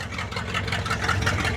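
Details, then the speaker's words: Ford F600 truck first running after sitting 20 years, fuel tank cleaned, new fuel lines, water leaks fixed; steady smooth idle on its own, no misses or knocks, temperature starting to rise; normal idle, accelerator pump not yet working. "Listen, it is running on its own. Oh, I bet you if I let it sit there and run for a while, that accelerator pump might start working too."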